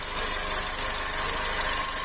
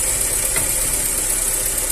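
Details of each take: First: 2008/2009 G5 idling petrol engine: steady high-pitched hiss and fine rattle traced by ear near the timing belt area to a worn belt tensioner bearing, not the power steering pump; replacing the tensioner fixed it. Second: G5, about 2009, after replacing the auxiliary belt pulley bearing: steady, even idle with a constant hum and no knocking, squealing or rumble, and the earlier loud noise that resembled a steering pump or alternator is gone.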